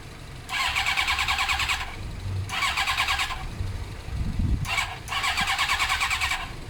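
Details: Suzuki GSXR 600 carbureted bike, three or four one-second bursts of brisk starter cranking, never firing despite spray into the carbs: cranks but no spark. It was fixed by fitting an original ignition unit with the resistor.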